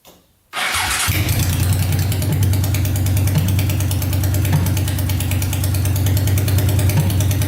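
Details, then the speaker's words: Honda 500cc engine swapped into a tractor, restarted after coolant was added to check for leaks, following a wiring repair: fires right up, then holds a very loud, steady, even idle with no misses or knocks; no leaking yet. "No leaking yet. The thing is so loud. Fire's right up though."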